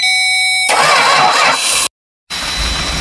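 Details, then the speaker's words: 1967 Travco 220 RV with big-block Chrysler V8, parked since 1988, refuelled and restarted, oil pressure 50: starter whirs briefly, the engine catches at once and settles into an even idle; normal start and idle. "oh my God it's starts right up in Idols right Idol"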